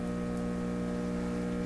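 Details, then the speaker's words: PYE 39HC shortwave tube radio speaker with a steady buzzy hum and slow throb underneath; low-frequency hum in audio output, one component estimated around 10 Hz, suspected very low-frequency oscillation. "This guy has got to be an oscillation of a very low frequency."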